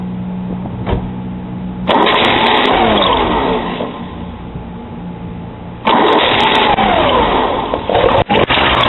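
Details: Porsche 944 after a timing belt change cranks steadily in two long bursts but never fires with the serpentine belt (AC compressor/alternator) fitted. It starts once that belt is removed. Crank, no start.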